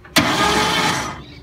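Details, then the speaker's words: Ford ZG Fairlane old engine, first attempt to turn it over with the key: a single harsh, gritty whirr lasting about a second before fading, with no steady crank rhythm, the starter possibly not turning the crank; abnormal starter noise. "let's see what happens if we turn the key starter motor sounds bad"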